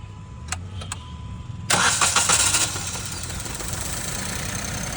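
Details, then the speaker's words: Alto K10 BS6 petrol engine with a system-too-lean (bank 1) code: cranks, catches roughly and idles weak and uneven, running on only one spark plug, with a faulty injector as the cause. "यह सिर्फ एक spark plug से start हो रही है।"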